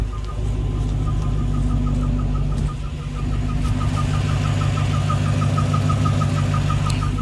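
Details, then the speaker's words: Dodge Charger Redeye at idle: sharp high chirp repeating about three times a second, like a bird, heard from both sides under the hood and under the car; owner doubts belt, others suggest torque converter; cause unfound. "It's like a bird chirping or something under the hood. You hear it from both sides"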